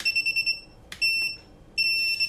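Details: Home-built FPV quad after flight-controller configuration, bench test before a failsafe check: quick string of short high beeps then two longer tones as the flight controller arms.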